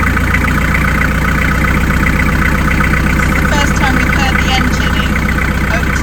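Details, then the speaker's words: Narrowboat diesel just restarted after in-situ repair of failed core plugs, dead about two months: steady even chug about four beats a second, no knocks or misses; clean healthy idle. Oil slightly white, needs more changes. "[Music] [Applause] Just haven't heard that for a Yeah, definitely going to need a change again in it."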